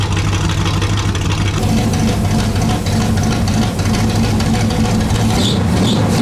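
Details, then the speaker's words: Pontiac Bonneville (Pontiac 455) after Holley work and raising idle; smooth deep V8 burble at even idle, no stumbles, ticks or knocks; good oil pressure around 40 psi, 180 degrees warm; normal idle. "But you know what? Starts great, sounds great. I'm happy."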